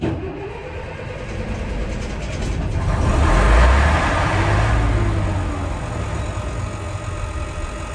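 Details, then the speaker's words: Old diesel bus (Merlin MB375 or Atlantean 1101): the starter cranks, the engine catches and swells for a couple of seconds, then runs down and stalls. Never done before; owner suspects a fuel issue and plans to prime the pump. "so it does it again it starts and then it stops it's never done that before we might have the same fuel issue"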